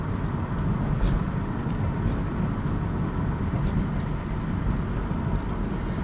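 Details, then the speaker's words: 2006 Chevrolet Cobalt SS test drive after replacing the front stabilizer links for a clunk over bumps: steady low road rumble inside the car, with the earlier clunk barely audible or gone. "but yeah i don't hear the same kind of clunk matter of fact i barely hear it at all to be honest with you i'm not hearing much"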